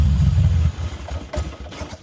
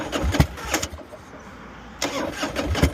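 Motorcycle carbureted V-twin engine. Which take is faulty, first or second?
first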